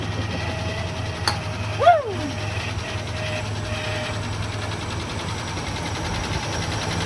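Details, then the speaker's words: 1980 Rover SD1, Buick V8, revived after sitting 18 years: low, steady idle with a thin steady whine on top. Alternator whine, but it is charging. "The alternator's still making noise. It's charging."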